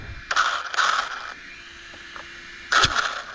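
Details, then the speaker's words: Rlaarlo AK787 RC car converted to dual motors and dual ESCs, running on 3S, after a crash: short bursts of high raspy whirring on throttle blips with no drive; Loctited grub screw lost, pinion spinning loose on the motor shaft. "I lost the grub screw out of the wow, and that was Loctited. Yeah, it's just a spinning. That's why it's making all that"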